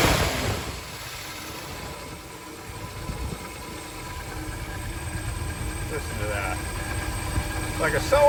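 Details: V8 test-run, still cold, with decent oil pressure and the alternator charging: quiet, smooth, even idle with a soft steady patter and no knocks or misses; normal idle.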